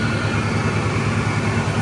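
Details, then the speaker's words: 2002 Ford F-150 Harley-Davidson edition, supercharged, cold engine just restarted after new IAT sensor: deep steady even idle pulsing about six-seven times a second with light hiss; no hard revving while cold; normal idle. "nothing comes apart nothing like that it's still cold so I'm not going to do any hard revving"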